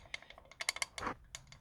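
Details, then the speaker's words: 1929 Ford Model A carburetor, engine off: sharp irregular metallic clicks from a loose, worn throttle shaft rattling in its bore, causing a vacuum leak, fuel seeping out and hard starting; carburetor to be rebuilt. "pretty loosey-goosey you can hear it that's actually the shaft going through there so it's actually causing a vacuum leak"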